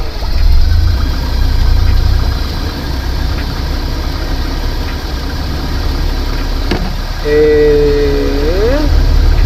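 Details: Van idling after a water pump replacement during the coolant flush and bubble purge, engine warming up. Steady low rumble with an even rhythm and no knocks or squeals; normal idle.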